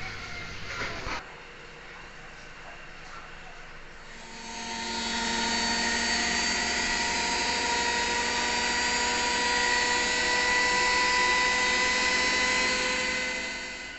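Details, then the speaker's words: Lux WH 263i-1 washing machine on spin after drum bearing replacement for rough noise: drum winds up after four seconds into a steady, even whir with no rumble or grinding; normal spin, rough sound gone. "terdengar suaranya halus tidak ada lagi suara kasar pekerjaan kita sukses"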